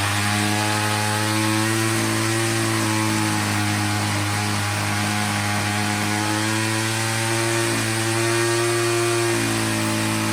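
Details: Troy-Bilt TB22 EC two-stroke weed eater at full throttle during a tune-up while the high-speed mixture screw is adjusted for maximum rpm: a steady, high-pitched scream held flat. Clean and well tuned, running great; the spark plug boot is ripped.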